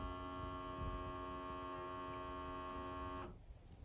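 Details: Fujitsu General VGH-630 Hi-Fi VHS VCR at power-on: steady fixed-pitch electric motor hum that stops abruptly after three seconds, then unit powers off; mechanism fails to return to position, usually caused by a loose belt (suspected).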